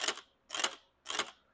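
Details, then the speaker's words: 1990 Chevrolet 454 SS during rebuild: sharp tinny clacks about twice a second with no engine running, broken internal parts hitting a metal cover; metallic striking noise. "Not only, as you can hear, it is hitting this metal cover. Uh, some of the inside things are broken."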